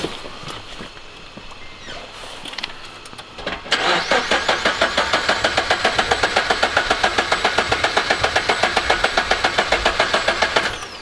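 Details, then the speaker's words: Subaru BRZ with UEL header: starter cranks evenly at about 220 beats a minute but engine never fires; owner suspects fuel starvation, possibly air in the fuel; crank no start. "is literally getting no fuel or it's not getting it's not it's not getting spark or fuel that's one of the two hundred percent it's got air dude I think it's fuel related but I can't figure out why unless it just got air in there"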